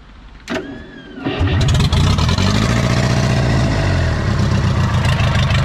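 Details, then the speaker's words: 1980s Komatsu D31S track loader, Cummins 4D105-3 four-cylinder diesel, sat 5-10+ years with rust in two cylinders, after bleeding injectors: cranks briefly, catches, settles into loud even idle firing on all four; normal. "But it sounds like it's hitting on all fou"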